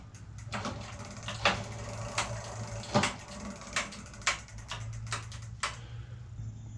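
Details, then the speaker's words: Razor E300 electric scooter with a rusted original 24 V motor and chain, fed 36 V: low electrical hum with irregular dry clicks about every half second and no spin-up. The motor is seized. "the motor is just completely jammed up you can hear it click a little it tries to roll"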